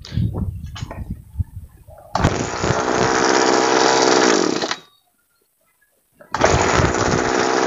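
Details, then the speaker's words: Two-stroke sprayer engine after adjusting the screw, turned left gradually: a hard, steady high-speed buzz, running cleanly with no stumbling. The hard-starting, stalling problem is fixed without changing the spark plug or fuel mix. "dan sekarang masalahnya sudah teratasi tanpa harus mengganti busi tanpa harus ke tukang service atau tanpa merubah campuran BBM"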